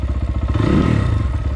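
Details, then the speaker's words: 2020 SSR Motorsports SR300 dirt bike with new Lectron carb, idle adjusted by hand: uneven lumpy low putter that sags when the throttle opens; slight off-idle bog, idle then set a little high. "bring that rpm up a little bit a little bit of bug idle's a little high now"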